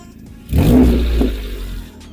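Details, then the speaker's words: Short, loud engine rev with a raspy, puffing low rumble, music faint behind; suspected exhaust leak, located underneath the vehicle. "if your vehicle has a unusual noise like this it could be exhaust leak"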